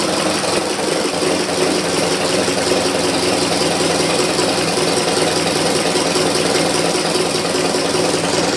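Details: 1919 Ford Model T Speedster, under 1000 miles since engine rebuild; mic inside firewall where loudest: busy idle with irregular knocking, two to three per second, also heard accelerating or cruising; owner unsure it comes from back of engine. Engine knock.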